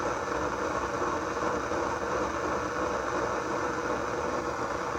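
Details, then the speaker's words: Sony STR-230 receiver on FM, tuner receiving stations: loud rumbling rush of noise with faint irregular flutter between stations; a bad transistor or DC-leaking capacitor is suspected. "See, the tuner is working, but in between stations we are getting this god-awful noise."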